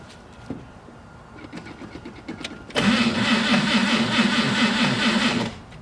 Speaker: it tells me that not enough voltage is reaching the starter hence the reason why it's uh it's turning very sluggishly